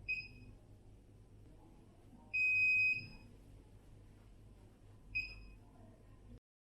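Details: Air purifier giving irregular high, shrill beeps while lights flicker; suspected control fault from failing keypad or detached connecting belts/ribbon cable of the transfer plate; keypad replacement suggested, not confirmed.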